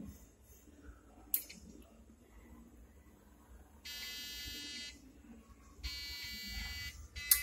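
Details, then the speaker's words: PC at power-on: two long, buzzy beeps about a second apart, repeating, a memory fault from a RAM module not seated properly; reinstalling it fixed the boot. "so again I am getting same sound so I think this RAM is not installed properly"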